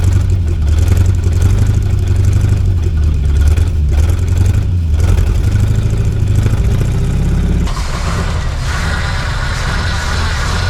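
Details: 1972 Chevy C50 big block rollback, first start after sitting several years, on choke with the fuel pump primed: catches, revs a few times, then settles into a deep, even idle with no knocks; oil pressure good, battery charging.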